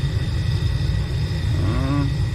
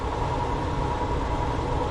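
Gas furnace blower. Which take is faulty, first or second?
second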